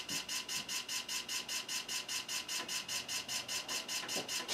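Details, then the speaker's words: PC booting MS-DOS from floppy: rapid even rasping chatter about four pulses per second as the drive reads; rough and noisy but working, cause unknown. "all right let's save this and see if it boots oh the suspense oh that doesn't sound good at all"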